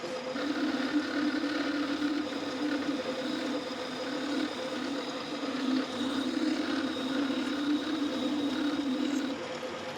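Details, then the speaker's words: Boring the spindle body bearing bore for a Quorn Mk3 tool grinder with a 1/4 inch boring bar bent at a right angle: continuous wavering upper-midrange buzzing squeal; mild chatter, enough to spoil the bearing surface. "That's chattering. Not chattering a lot, but enough to mess up the bearing surface."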